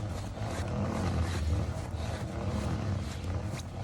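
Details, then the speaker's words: Rear raised off the ground and the wheel spun by hand: a rough, low steady growl from one side, which is also hard to turn, while the other side sounds fine; a bad wheel bearing is suspected. "Spin the wheel. Hear that? Man, that don't sound good."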